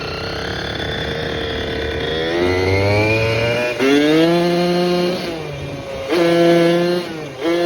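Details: Restored 1987 Kawasaki KDX80 two-stroke on a test ride with the exhaust baffle removed for more power: crisp revs climbing cleanly through the gears, pitch rising and falling smoothly with the throttle, no rattle or bog; healthy engine.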